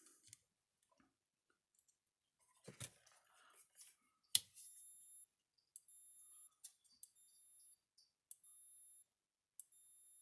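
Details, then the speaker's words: Gallagher S17 electric fence charger after repair: ticks with a sharp pulse about every second, each followed by a high tester beep; no internal arcing, normal clicking. "See how much quieter it is? It's not arcing on the inside, but it is clicking, which it's supposed to."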